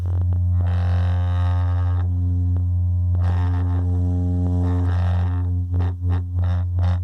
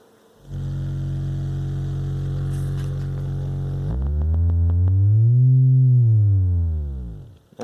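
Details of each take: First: Radio Shack Realistic MC-800 speaker after repair: low test tone drones steadily while a buzzy rattle flares in bursts over it; loose baffle suspected, tweeter found loosened. Loose speaker baffle rattle. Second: Realistic MC-800 speaker after repair of a cabinet noise source, sweep starting around 45 Hz: clean low tone sweeping up and down with no buzz or rattle; woofer and tweeter both work, fixed.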